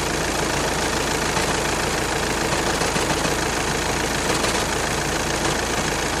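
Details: 2012 VW Passat idling with a busy, uneven rattle over the steady running sound.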